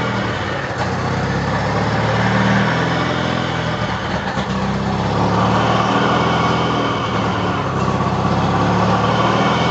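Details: 1993 Mazda RX-7 Turbo at idle: busy rotary idle with a thin high whistle rising faintly as revs climb; audible turbocharger whine.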